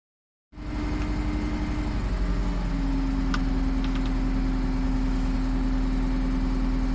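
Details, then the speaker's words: 1988 Atlas 1404 M excavator diesel after fuel system bleeding, now firing on all 4 cylinders: steady diesel clatter at even idle, constant drone, no knocks or misses; owner unsure whether hydraulic oil level is too high. "Well, she doesn't sound bad, but I've noticed that my oil level on the hydraulics could be on the upper side, but could be actually nothing at all."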